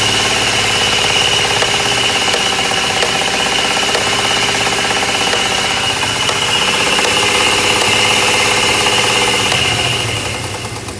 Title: 02 Dodge Ram 1500 3.7 What is this weird knocking/popping sound?